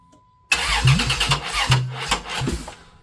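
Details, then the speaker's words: 1995 Plymouth Voyager 3.0 V6 after timing work: uneven cranking with ragged fire-ups that never catch, crank no start; owner suspects wrong timing or dead battery, later finds distributor clocked wrong so it fires too early or late. "That's not good. Sounds like timing's wrong. What did I do wrong? Or the battery's dead."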